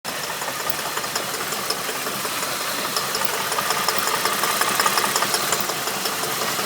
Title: Holden VT knock/Rattle Noise